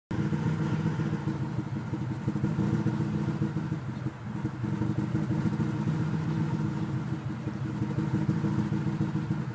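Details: Engine revs to about 1700 rpm at first start, then once warm idles roughly with uneven lumpy beat and a dip; owner suspects coolant bubbles or idle air control valve; rough idle when warm, cause unknown.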